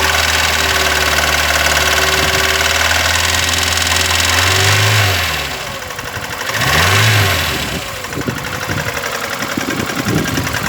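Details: VAZ 21099 petrol engine, cold start: revs twice then idles with a sharp metallic tapping under the engine note; knock began faint at idle, grew louder after 50 km, then stayed the same over about 350 km; cause not yet stated.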